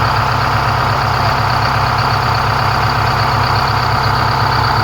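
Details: 4106 bus diesel after Allison V730 transmission swap, in shop: loud steady idle, even low chug near three beats a second, no stumbling; normal healthy idle.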